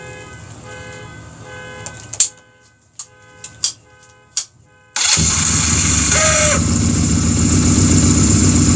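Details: Honda Rebel after new one-way starter clutch, flywheel and stator install: sharp clicks and short cranking bursts, then engine catches into a steady run; starter engages cleanly, normal start.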